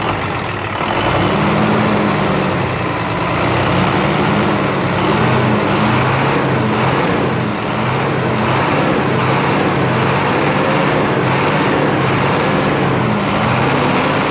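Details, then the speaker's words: Hino FM 500 six-cylinder diesel truck after fixing oil leaking from the dipstick and topping up oil: steady even diesel clatter at idle, no misses, knocks or blow-by; sounds healthy. "तो अब तो माशाल्लाह बिल्कुल ठीक है ना, तो उम्मीद है इंशाल्लाह ये बिल्कुल ठीक है।"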